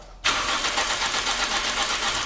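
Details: Toyota Camry 20 with hard start, using the crankshaft-sensor signal wired from a second Toyota, start signal on, relay and fuel pump clicking on: starter cranks evenly and rapidly over two seconds without catching; spark present, cause unconfirmed.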